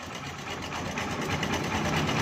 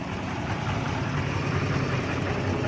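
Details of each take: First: Honda CB 125 at idle: fast, light sewing-machine ticking that grows slightly louder; noisy top-end clatter, source unclear. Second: Honda CB 125 motorcycle, questioned for being noisy; small single revs cleanly off a steady idle three times, picking up and dropping back smoothly with no knock or rattle, sounds healthy.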